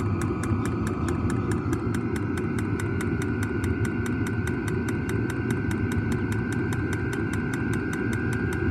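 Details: New diesel heater just installed in a Jayco Freedom caravan, heard from outside near the exhaust after start-up: even combustion roar with a steady dosing-pump tick about four times a second; normal diesel heater running.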